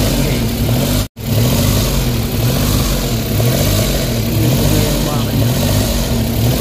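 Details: Suzuki DA17 warmed up for a few minutes: idle swells and sags about every two seconds in a slow, uneven cycle, with no fault code stored. Idle hunting, cause not yet found; engine scan next.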